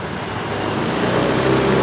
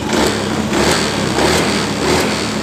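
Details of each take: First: Honda Beat eSP scooter that stutters when riding after another shop replaced rollers: at start-up with throttle closed, idle climbs steadily over two seconds; high idle from a misadjusted throttle position sensor. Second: Honda Beat ESP scooter after a reset via the DLC socket: steady, even putter at idle with no misses, stumbles or knocks. Engine runs normally.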